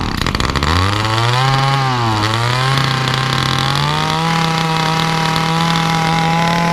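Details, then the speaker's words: Titan two-stroke combi tool/hedge cutter, nearly new, cold start after priming: picks up, sags and stumbles on throttle, holding only a modest flat speed; bogs cold or warm; carburetor and diaphragms suspected, not confirmed. "As soon as you try to give it the beans, it don't want to know. And it don't really want to know whether it's cold start, warm start, halfway, or anywhere."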